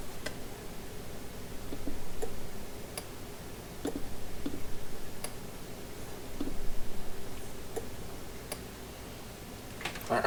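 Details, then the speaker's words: Charger set to AGM at 2 A on a deeply discharged AGM battery: sharp relay clicks about once a second over a low hum, showing "bad battery" because it won't recognise the battery is connected. "you can probably hear that it's clicking because it doesn't want to doesn't want to acknowledge that the battery is there"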